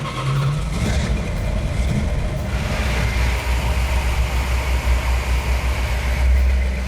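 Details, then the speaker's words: 1970 Plymouth Cuda 340 whose freshly rebuilt engine had sand dumped down the carburetor, 65 psi oil pressure at idle: deep, even V8 burble with light blips and no misfire, stumble or ticking. Normal idle; runs smooth. "it's got 65 pounds of oil pressure and an idle which is awesome it runs like a dream it doesn't miss it doesn't hiccup there's no noise in it and truly now we feel like we're done"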